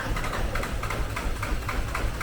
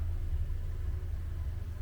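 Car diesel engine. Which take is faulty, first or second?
first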